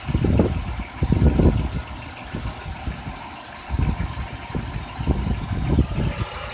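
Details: 1997 Oldsmobile Cutlass Supreme SL 3100 V6 at uneven idle with heavy low bottom-end thumps in bursts every second or so; owner suspects piston slap, unconfirmed.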